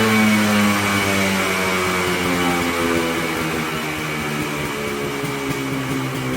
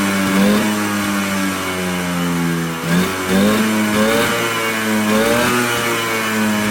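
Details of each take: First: Polaris Colt two-stroke after new fuel parts, cold weather, no choke cable; now idles on its own (didn't before) but steady buzzing raspy idle sits noticeably fast, without dropping off. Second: Polaris Colt two-stroke, no choke cable, idling a little high; crisp revs climb and drop cleanly with steady buzzy idle between blips, revving out much better than before.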